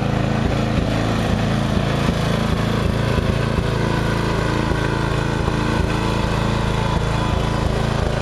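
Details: Murray riding mower after long storage and a mice nest in the engine, owner reported surging, suspects gas filter: steady single-cylinder beat at about two and a half firings a second, no stumbling or cutting out; ran normally.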